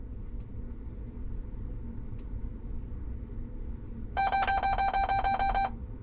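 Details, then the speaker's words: John Deere 6415 or W235 swather cab alarm, a burst of about ten quick high beeps over a low hum, warning of an active SCR inlet temperature aftertreatment fault; inlet temperature sensor suspected, not confirmed. "I'll have to listen to this beeping I can't shut it off guys let's go find the scr it should be way down here whoa scr Inlet temperature I don't know why interesting why would it be throwing a code"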